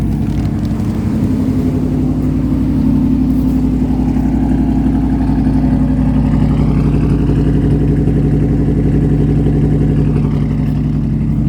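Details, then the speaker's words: Restored 1980 Pontiac Trans Am Turbo Special Edition, turbocharged, rebuilt power enrichment valve, custom distributor curve, engine still cold on high idle: steady, even fast idle with smooth low rumble, no knocks or misses; healthy. "It's still cold over here, so it's in high idle at the moment."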